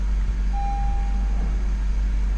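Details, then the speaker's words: Stranded Honda Civic no-start, after a new starter was installed: a low, steady, even idle with a faint beep; the new starter fixed it. "Alright, got the starter installed. Sorry, didn't film it. I couldn't hold the camera and install it at the same time, but anyway, it's installed, everything's plugged up, so let's go see if it starts. Alright, she's running."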